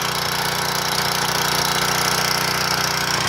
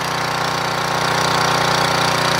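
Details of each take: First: Portable gas generator before carburetor replacement, with the old gunked carburetor and oil dripping; the engine drones unevenly and laboured, hunting because it can't govern itself, and output is only about 115 volts. Carburetor is badly worn. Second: Portable gas generator with a Tecumseh engine after the new carburetor was fitted and adjusted: busy, even rattle at constant speed with no hunting or misses, output above 120 V; normal running.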